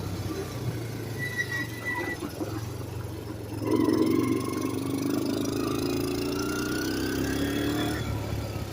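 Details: Kawasaki KLT160 mini Prairie Dog ATV, revived after years sitting: the single idles evenly, then picks up on a throttle blip and holds a smooth, steady beat. Running really good.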